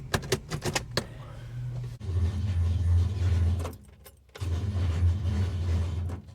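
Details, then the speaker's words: Holden HK with a starter motor refitted: key clicks, then two long, slow, laboured groggy cranking runs with a low drone and no start. Slow cranking starter; cause unknown, owner considering another starter. "Right, that's one fuck starter motor. I don't know why it's making that noise."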